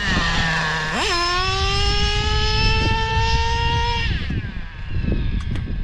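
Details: O.S. 21 TM nitro engine, bought used in a Traxxas Revo: idle jumps to a thin steady high scream held about three seconds, then drops; running lean on the high-speed needle, richened one to two hours.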